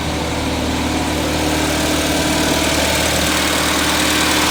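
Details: 1979 210 engine, choke fixed, now starts and idles (idling high) but misfires; lumpy shaking idle with a regular stumble about four times a second; pulling plug wires 1 and 4 kills it, 2 and 3 dead, running on two cylinders.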